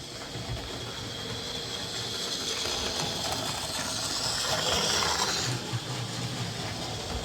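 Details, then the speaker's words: Mainline J72 model locomotive, previously serviced, cleaned and oiled, runs well but is noisy: a thin, raspy grating whirr like knives being sharpened, rising and fading as it runs. Harsh mechanism noise, cause suspected, not confirmed. Stripped down to try to quieten it. "and it runs really well, but as you could hear there when it was running, it's quite a noisy little bugger."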